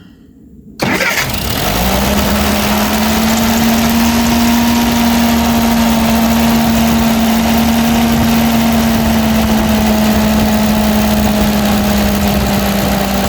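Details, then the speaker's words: Ferguson TO20 tractor that sat for years, after points and rotor work, with the PTO left engaged and the governor sticking a little: catches at once and settles into a steady, even idle with no misses; running normally. "Bo that thing running good y'all don't try this at home"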